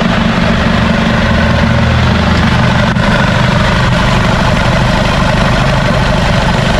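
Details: Isuzu D-Max 4GH1 diesel, converted from semi-electronic to mechanical injection, idling after a new injection pump was fitted to fix hard starting. A steady, even low throb with no stumbles or dropouts; normal idle.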